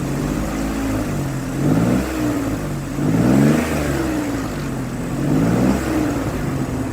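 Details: 2003 Ford Explorer that failed inspection for misfire, after replacing bad ignition coil: three clean rev blips from steady idle, no stumble or miss: normal running.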